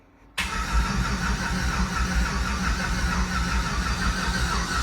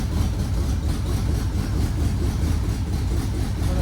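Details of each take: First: Red truck rebuild, starter jumped because of wiring issues: the starter spins the engine at a steady churn with no firing at all on residual fuel only. Cranks, no start, no fuel pressure; after the fuel-pump relay was jumped it started and ran. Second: Red truck started for the first time by jumping the starter and fuel pump relay because of wiring issues, no oil pressure showing on the gauge: deep, steady low rumble with no knocks, ticks or misses, a healthy, even idle.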